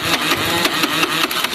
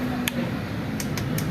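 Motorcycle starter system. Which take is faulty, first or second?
second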